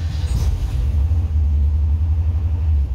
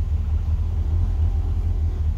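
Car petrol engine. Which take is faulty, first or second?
first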